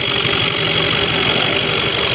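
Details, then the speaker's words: Yamaha Mio 125 scooter idling with a fast, steady light tick like a loose piston, heard on the right side. Piston block, piston, cam, valves, CVT and starter one-way gear were already checked fine, no smoke, oil flows well; oil pump gear suspected, unconfirmed. "Kenapa motor ini masih ngelitik juga, kayak bunyi piston longgar juga ya teman-teman."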